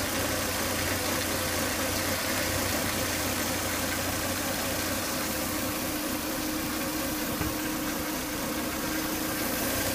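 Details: Volvo S80 2.5T warm idle after 10–20 minutes running: thin, steady whine like something broken inside, with strong vacuum sucking at the oil cap; excessive crankcase vacuum from faulty breather box/filter, solved by replacing it.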